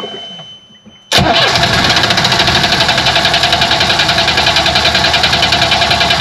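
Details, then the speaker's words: Yanmar diesel on a sailboat: steady cranking at about 3.5 strokes a second that never catches; fuel starvation, apparently from gunk clogging the pickup tube and the fuel pump, which popped the primer bulb. "you know it doesn't have fuel"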